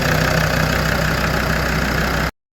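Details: Land Rover Defender 130 TD5 diesel idling cold after new oil filter fitted: even steady idle with usual clatter, no misses or knocks, before it cuts off.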